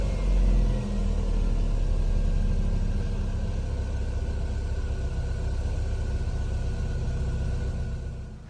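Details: 2018 Chevy Sonic 1.8L after replacing the plastic cam cover and PCV tube to fix a vacuum leak and rough idle: the engine revs up and settles with a smooth, even drone and no ticks, knocks or hissing, which is normal.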